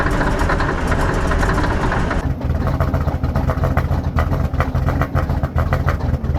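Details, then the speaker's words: 1980 K Whopper picker truck diesel just fired up after long sitting, oil pressure showing; low uneven, lumpy idle with irregular knocks; the engine runs rough and unhappy. "pressure she's not a happy dirty old comment to tell you that she is not impressed right [Music] now"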